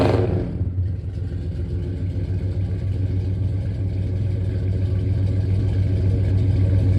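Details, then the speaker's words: 1967 Dodge Coronet 440 big block Mopar V8, revived after 20 years dead, on open headers before Flowmaster exhaust is fitted: loud, deep, choppy rumble with an uneven lope and no muffling; open header exhaust roar. "know, it has open headers, and then we have getting some Flowmaster exhaust put on, and it'll sound a hell of a lot better, run a lot better, and maybe my feet will stop getting so hot."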